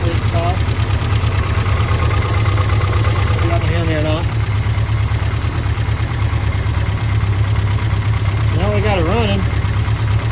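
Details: 1970 MG Midget first run in many years after carburetor work, idling briefly: steady even four-cylinder idle, deep smooth beat, no knocks; smoking from leftover oil, running healthy.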